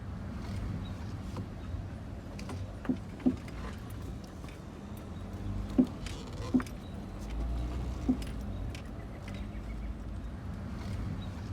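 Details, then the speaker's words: 2012 Dodge Grand Caravan pulling into the driveway: low rolling noise with a few sharp clunks spaced a couple of seconds apart over bumps; failed Monroe front strut mount, later replaced with Moog strut assemblies. "And the noise that you heard at the beginning of the video of me pulling in my driveway was in fact another bad Monroe strut."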